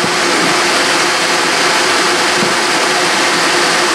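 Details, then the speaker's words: FASCO Type 21B model 712113156 combustion blower for a pellet stove, a 2-pole shaded-pole motor with ball bearings, bench tested: steady loud airflow rush with a faint even hum; airflow louder than the stove's current blower but the bearings are much quieter; runs fine. "all right that works fine it's the airflow noise is much louder than the one I have in the stove now but this is much quieter in terms of the bearings"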